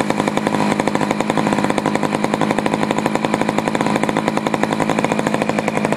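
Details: Poulan 4200 chainsaw, warmed up after a cold start, reported running a little lean: high, buzzy two-stroke scream at steady speed with a flat, muffled edge while the bottom low-speed screw is adjusted. Lean low-speed mixture suspected.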